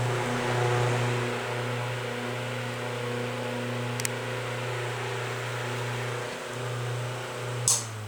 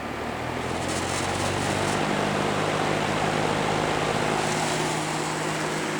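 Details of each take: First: Vintage electric fan running: smooth, constant low motor hum with soft airflow, no ticking, rubbing or wobble; runs clean and healthy. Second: Toastmaster model 5359 vintage metal-blade fan on high: loud steady blade whoosh with loose buzzing rattle as the grille vibrates from a missing screw; no rattle on lower speeds.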